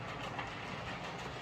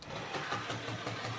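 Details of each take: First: Hornby 08 shunter running on the layout after repair: motor cleaned and lubricated, and coupling rods bent to clear the brakes they had been catching. Soft, even motor hum and steady rolling with no rhythmic clicking; clicking fixed, running normally. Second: Hornby 08 shunter on a layout after motor repair: motor whirring with a regular click-thump about six times a second, caused by a large piece of fluff caught in the worm gear.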